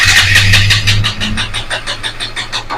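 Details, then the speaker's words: KTM 200 with intermittent no-start and misfiring at full throttle, original ignition coil fitted: engine catches briefly then dies into a ragged fading chain of pulses; failed start, suspected faulty ignition coil. "ഇടക്കിടക്ക് വണ്ടി start ആവുന്നതാണ് ഇടയ്ക്കിടയ്ക്ക് വണ്ടി start ആകത്തില്ല"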